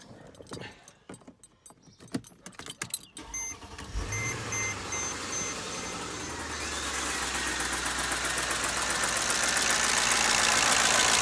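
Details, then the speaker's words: 2007 Mercedes ML500 5.0 L petrol V8 after the serpentine belt broke and wrapped around the pulleys, driven for an unknown time. At start it settles into a hard, diesel-like top-end clatter from oil starvation. "so now this car sounds like a diesel engine trying to run"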